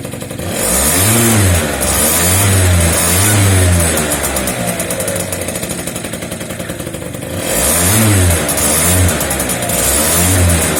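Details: Two-stroke scooter after cutting open its Polini exhaust to remove a loose internal part that rattled like maracas, pipe refitted; crisp crackly blips with the throttle, no rattle inside the pipe: normal running after repair.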